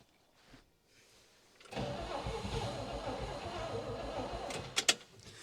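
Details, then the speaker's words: 1960 Pontiac Catalina 389 V8, sat since 1985, carb primed, on stock fuel system: about three seconds of ragged cranking and sputtering that never idles; cranks but won't stay running, owner switching to boat tank and electric pump. "all right so obviously it's not going to run it's not going to run on its stock fuel system and I don't really want it to"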